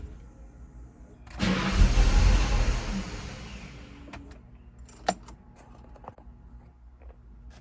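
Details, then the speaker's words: 1995 Ford Mustang GT, lean with no power after MAP sensor cleaning: engine catches with a loud burst, runs about two seconds, then fades and dies. Owner suspects a bad fuel pump; runs with MAF disconnected. "Now it's doing the same thing again. Doesn't want to start. Guess it could also be a bad fuel pump."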